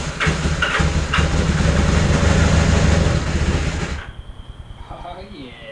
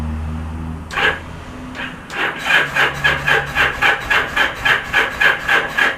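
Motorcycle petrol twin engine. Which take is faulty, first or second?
second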